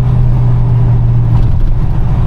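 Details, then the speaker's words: 1963 Ford F-100 with Chevrolet 350 V8, automatic, headers and dual exhaust, driving with a throaty drone from an exhaust leak at the front donut gasket, under the driver's seat. "That noise you're hearing is an exhaust leak from a donut gasket on the front here. It's actually right here under my driver's seat."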